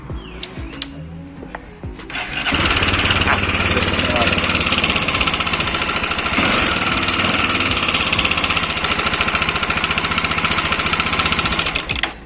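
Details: Honda CB300/XRE300/Twister single-cylinder engine at fast idle; dry, rapid clattering rattle over the exhaust from the timing chain area; cam chain noise.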